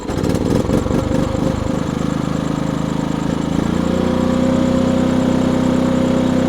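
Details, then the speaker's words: Maxpeedingrods MXR6000GT 6000 W inverter generator push-button started: brief rough, uneven chugging at start-up, then a smooth, quiet, steady drone at constant speed; it runs normally. "Let me start it up for you guys real quick. Nice push to start. It does have the manual start as well. You can start through that."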